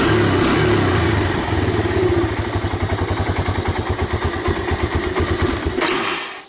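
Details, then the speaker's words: 1985 Honda ATC250ES Big Red carbureted engine, revived after sitting: it runs rich on choke, but off choke the idle falters into slow uneven beats and dies, even when warm. Suspected clogged carburetor idle circuit. "And what it does is it starts sometimes, and it'll run with the choke on, but you hear it's rich. But if I let it off,"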